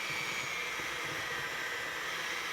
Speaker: You can hear our motor bogging down, so we're going to switch to hand mixing, but we're going to get as much as we can blended.